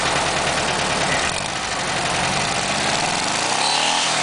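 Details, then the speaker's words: VW Super Beetle engine with new spark plugs, wires and distributor, original oil bath air filter, 125–140 psi compression, rebuilt transmission: clean throttle blips rising and falling with no knocks or misses under wind hiss; healthy engine revving. "there she is running I'm gonna do a little bit of pulling the throttle back so you can listen for the acceleration"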